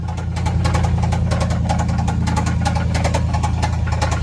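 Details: Jeep V8 with a suspected worn camshaft, which the owner blames because it is losing power: a sharp, regular knock about three and a half times a second at idle that gets louder with revs.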